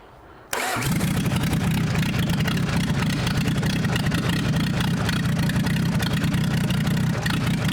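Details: Citroen Dispatch/Jumpy diesel first start after engine and clutch install, with a new diesel filter, kicker button, booster pack and no coolant: a short crank catches at once into a steady, even idle with no knocks or misses; healthy.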